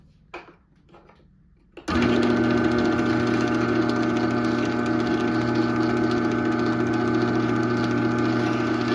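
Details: 2001 Chamberlain 7320 1/2HP chain-drive opener, whose sprocket gear was completely shot when acquired, running the door down: the motor kicks on and settles into a smooth, steady hum with an even chain rattle, no grinding or slipping; healthy.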